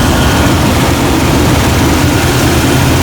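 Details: 1999 Jeep Cherokee XJ 4.0 L inline six idling while alternator output is checked at 14.9 V (battery 12.5 V before), a steady, even low idle with no knocks, ticks or squeals; normal idle, bad starter diagnosed.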